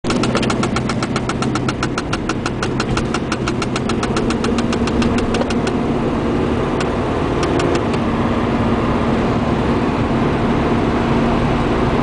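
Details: Cold engine idling with quick, light, even ticking that fades after about six seconds; owner suspects the interior fan/heating system, origin unconfirmed.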